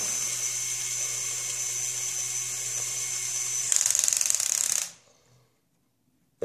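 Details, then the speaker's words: LEGO Technic Volvo L350F (42030) bucket lowered to ground, motor run against end stop: steady small-motor whir then sharp ratcheting clicks as clutch slips; used to realign a bucket that went lower on the right side. "lower the bucket down to the ground and then run it let it click a few times and that I found tends to straighten the bucket out"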